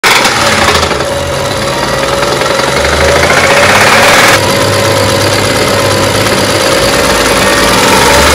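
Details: BMW petrol engine idling with a steady, loosely regular knocking about four beats a second, presented as engine knock; cause not confirmed.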